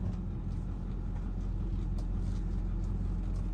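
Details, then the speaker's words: Power steering with hydroboost brake booster, after partial fluid flush, refill and top-off: steady low idle with the wheel held at full lock and no pump whine; the earlier whine is gone, though the fluid loss is still unexplained. "no whining remember when I would hold it there we would hear wine let's go all the way to the stops"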